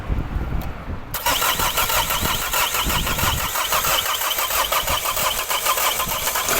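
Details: Diesel car that starts with difficulty: brief crank, then a harsh, fast, loud clatter at idle that stays rattly. Rough-running diesel; cause not confirmed.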